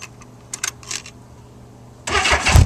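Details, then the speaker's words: 1984 Honda Goldwing 1200 starting after its stock fuel pump was swapped for a 1985 Honda Prelude pump and primed, around 60°F. Quiet clicks, then it catches and runs evenly with no hiccups; no pump ticking is heard. "So far, it's running like it's supposed to. I don't hear no hiccups or anything"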